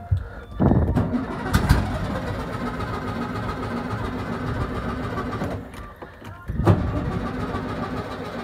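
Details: 1971 VW Beetle project, first start in 8 years: a couple of cranking bursts catch into a rough, low, uneven run, then it restarts and the old air-cooled engine keeps running.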